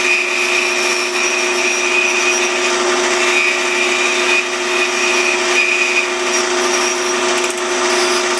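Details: Pattern-making lathe turning a shortened small wood workpiece: even, steady hum with a constant tone and no flutter or chatter; the lathe runs smoothly.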